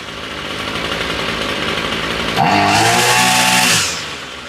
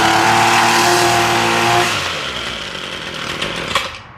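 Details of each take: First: Ryobi string trimmer that only ran on half choke, after new spark plug and fresh fuel, choke off and still warm: three crisp blips to high revs returning to steady even idle; running normally, cause was bad plug and bad gas. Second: Ryobi weed eater that runs only on half choke, choke off: two-stroke buzz runs briefly then sags and dies unevenly, won't idle; owner suspects old fuel, first step draining fuel.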